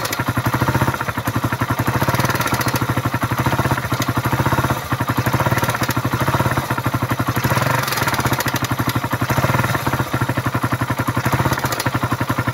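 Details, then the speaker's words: Suzuki Raider 150 at idle after new battery (regulator overcharge fault) and oil refill: fast, even metallic ticking clatter keeping time with the engine; engine had run dry of oil, internal wear. Engine clatter from oil starvation damage. "Patinggan natin yung makina dahil maingay yung makina nito. Dalawa ng natuyuan. Ayan yung pumipitik na yan. Pumipitik."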